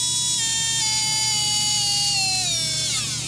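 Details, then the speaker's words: RC brushless motor on SkyRC BMA01 analyzer, spun up to full throttle: loud harsh high whine falling steadily as it spins down, noise level above a new motor's; motor failing. "Yeah, so that's definitely a motor on its way out. We could probably repair it, but I don't know how long it would last after that."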